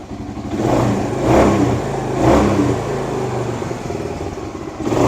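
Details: 1978 Kawasaki KL250 single with new fabricated exhaust, cold on full choke, after cleaning points, static timing and new petcock: repeated clean blips with crisp note, no misfire or stumble; revving much better than before, points likely just dirty.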